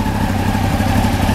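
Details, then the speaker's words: 1993 Honda CBR900RR, out of museum storage, with aftermarket exhaust and dyno re-jetting, cold-started on choke and run about 2500 rpm, then idling without choke: even, steady mid-pitched beat that holds without hunting; healthy warm idle. "one of the benefits of the exhaust and the rejecting on a dyno is that you can start the thing off and start it up cold and within a minute you can be have an idle team without the choke"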